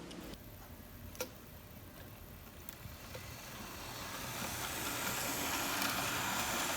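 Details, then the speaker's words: Hornby OO scale Flying Scotsman locomotive running on a better controller wired via soldered feeder wires instead of the set's cheap controller: soft even hum with light regular rail clicks, no grinding; much quieter and smoother, normal running. "And, as you can hear, or not hear, it is much quieter and much smoother. And when paired with this controller, or any other good controller, it is actually a pretty decent runner."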